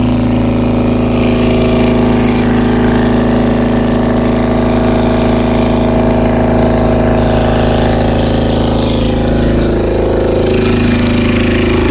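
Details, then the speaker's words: 2000 Honda CBR600 carbureted motorcycle with slow starting and poor throttle response; fast, slightly uneven high idle that won't settle, carb cleaner shows all four carburetor boots leaking, to be replaced. "looks like the boots are all leaking and here where the carburetor is or the airbox just this one the rest those to be okay"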